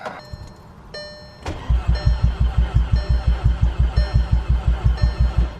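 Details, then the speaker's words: MK6 Golf R on first start attempts after the front end, charge piping, coolant hoses, battery, coolant and oil were reinstalled: steady starter cranking at about three thumps a second with no firing, done to build oil pressure; cranks nice and easy. "sounding good so far crank it nice and easy so I like that"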